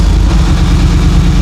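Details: 2002 Ford SVT Lightning with newly built V8 and aftermarket cams, idling with an uneven, lumpy beat: misfire and rough idle traced to low compression in one cylinder.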